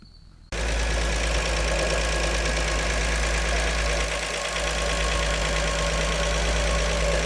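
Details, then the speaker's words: 1948 Chevy Fleetmaster inline-six warming up, idling steadily with a smooth low hum and no knocks, misses or stumbles; fuel line leaking, oil pressure held, temperature just above 180; normal idle. "And uh man, I don't know if I even need to throw a timing light on this thing. It sounds great."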